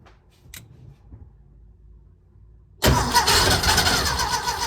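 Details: Porsche 914 first start after installing a 123 distributor, positioned per manual (owner concerned it has play in its slot): near silence, then the engine catches abruptly on the first try and settles into a fast, busy, slightly uneven run.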